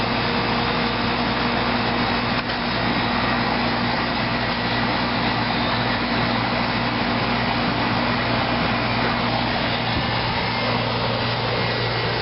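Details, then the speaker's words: 1993 Carrier air conditioner outdoor condenser unit: smooth, constant low hum with steady fan rush, no rattles, squeals or cycling, not very loud; normal running. "Yep, she's a smooth runner. Not a very loud unit."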